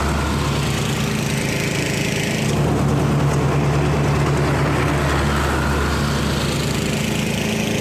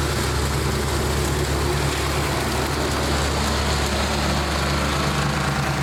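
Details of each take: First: 1999 Snapper riding mower, 28-inch cut, 10 hp Briggs, first run of the season after sitting in a shed: steady, even single-cylinder beat with no misses or knocks, then it shuts down. Running good; the deck cuts too low even at full height. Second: 1999 Snapper 28-inch riding mower with 10 hp Briggs single-cylinder engine, first run of the season: slow, loping, uneven idle close to stalling; idle set too low, a different carburettor possibly needed.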